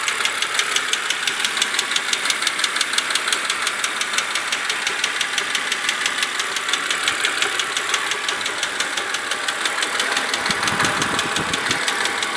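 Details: BMW Z4 E86 2.5i 177 hp at idle: sharp regular top-end ticking about three times a second; changing oil from 0W30 to 10W40 did not change the ticking, cause unknown.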